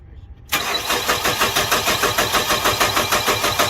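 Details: 2007 Nissan Frontier intermittent crank-no-start, day 2, while measuring 12 V on the white/green injector feed wire with key on and cranking: starter cranks at an even three beats a second but never fires; battery possibly weak, cause unconfirmed.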